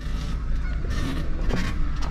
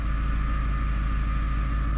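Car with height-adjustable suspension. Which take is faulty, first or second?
first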